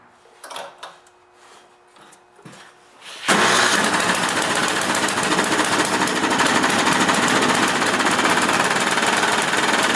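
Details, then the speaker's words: Mastercraft 8 hp 24-inch snowblower with a Tecumseh engine, belts still on: the engine starts and runs with a loud, regular hammering knock of about four beats a second, engine knocking. "The problem with this snowblower is that the engine is making a loud knocking sound."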